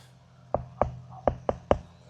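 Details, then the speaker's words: 2018 Thor ACE 30.2 RV rear wall tapped: five dull, hollow knocks with little ring where the wall is soft and delaminated from a leak, compared with a more solid spot nearby. "So here it's kind of a soft noise. A little farther over, much more solid."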